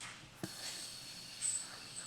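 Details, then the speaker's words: 632 cubic inch big-block Chevy, 15:1 compression, 8500 rpm build: thin steady airy hiss with sucking surges under applied vacuum, air leaking through the slip collar slit; sealed with silicone drawn into the leak. "There you can hear it drawing air. So I actually like to put a little silicone around."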